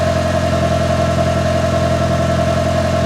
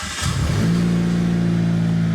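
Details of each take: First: Mitsubishi Evo 5 with the old clutch, before replacement, while pulling in. A smooth idle turns to rough clattering with a wobbling, sagging pitch once the pedal goes down, the clutch chatter being fixed. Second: Mitsubishi Evo after ACT Mod Twin Disc 225 clutch install, replacing abnormally worn clutch that made loud noises: brief crank then smooth steady idle, no rattles or grinding with clutch pressed or released. Normal start and idle.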